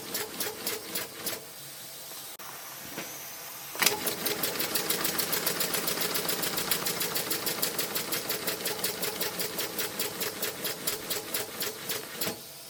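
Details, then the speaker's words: Maxwell Hemmens Birmingham Dribbler live-steam locomotive with no displacement lubricator, running on dirty water: quick even chuffs about 3.5 per second with thin squeak from dry cylinders; cylinder squeak from poor lubrication. "There's no displacement lubricator, so what it gets is gripey, horrible water with a bit of carbusonic in it, and it doesn't like that."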